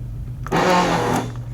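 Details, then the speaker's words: 1984 Chevrolet Corvette with dual 4-barrel carburetors, parked 20 years, first run after new fuel pump, filter and regulator: a steady loud buzzing electric pump hum; pressure reads 12–15 PSI, too high, so the regulator isn't working. "Boy, that is a lot. Wow, that is a really loud pump."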